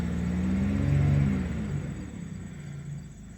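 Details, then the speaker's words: 2002 Buick LeSabre after new ignition control module fixed crank-no-start, with new crankshaft position sensor fitted: engine revs cleanly, then settles to an even, steady low rumble with no misses or stumbles; runs smooth. "so the new ICM worked [Music] car is so smooth"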